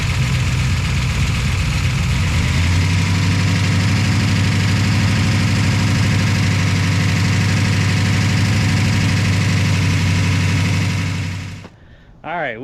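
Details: V8 car after its distributor pickup wires were connected to the correct ignition box: it catches and settles into a normal, steady, even idle with a deep rumble and no misses; owner hopes the lifters quiet down.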